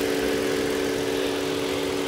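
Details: Toyota Avalon after an engine misfire traced to a carbon-fouled spark plug on cylinder 2: even, steady idle with smooth constant hum, no stumbles; misfire gone, RPM steady.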